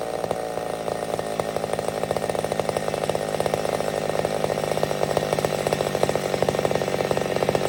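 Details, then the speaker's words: McCulloch Super Pro 70 chainsaw cutting: hard steady high-pitched snarl holds speed with even rapid firing. Normal cutting; owner suspects a tad lean and will richen it. "okay so i get the feeling that we fixed it but i've also got the feeling that i could be a tad lean"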